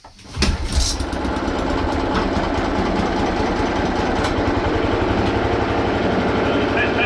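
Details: Hayter 56 Pro mower, previously overfilled with oil, governor spring missing, after new air filter, on fast: fires and settles into steady but slowish beat, never reaching full revs; carburetor setting suspected.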